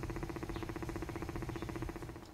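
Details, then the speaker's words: Fast even ticking, about a dozen taps a second, then fading, from an apartment intercom door station whose circuit board, terminals and wiring are badly corroded; judged beyond repair and replaced with a new unit. "這一台門口機的狀況比較差你聽喔它會發出答答答的聲音我直覺是它的電路應該是有故障的"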